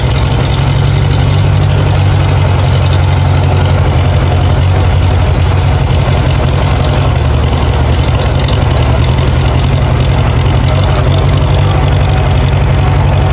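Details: Farmall A tractor, revived after sitting over 10 years with new radiator, fan, belts and hoses; low, steady thumping idle, even firing, no misses or knocks; normal idle.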